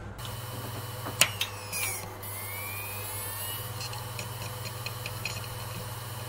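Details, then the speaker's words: Orico 1106SS SATA hot-swap rack: pressing the caddy power switch with the system running makes an internal drive click, spin down and spin back up, a power dropout that could corrupt data. "yes it did so even though this is a caddy designed apparently for hot swap if you use this in a system with this sort of setup with your hard drives you're going to find that your internal drives are going to start dropping out"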